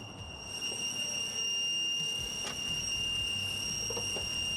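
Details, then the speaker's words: 1997 Toyota 4Runner, engine hot (the noise only happens when hot): a loud, steady, high-pitched whistle over a quiet engine. Suspected vacuum leak; not confirmed. "this is my 97 Toyota 4Runner, and it's got a crazy whistling noise, like the most insane noise ever. I'll put the video clip on it right now, and it only happens when it's hot."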